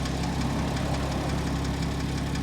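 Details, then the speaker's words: Porsche Cayman S, horizontally opposed engine, listened to from the side at idle: light quick tapping over the even rumble, louder on one side; owner first suspected lifters, but the computer reports oil full; cause unknown. "I mean you definitely hear the tapping let's go over to the other side remember this is a horizontally opposed engine so definitely hear it more over here"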